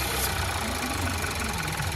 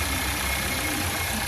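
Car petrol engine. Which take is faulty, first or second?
second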